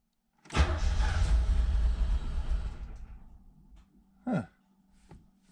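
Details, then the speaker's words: 1986 Chevrolet Z51 sports car, low mileage, stored over 20 years, cranking with the clutch in: the starter turns it about 2.5 s with a lumpy, uneven beat, as if one cylinder is weak. Cause unconfirmed. "must be a five cylinder all right well sounding promising"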